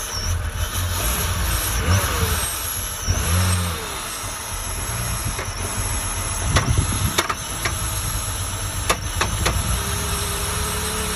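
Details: 2003 BMW E85 Z4 2.5i petrol engine idling and revving with scattered sharp knocks breaking through; owner unsure of the cause.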